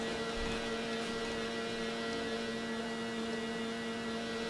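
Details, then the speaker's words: Sony Walkman WM-F69 during restoration, headphone output: steady low mains-type hum with only faint music trying to come through; left channel dying, right works; improved after replacing a part, others not yet replaced; owner suspects lack of grounding. "If you put the headphones on, you can hear a bit of music trying to come through."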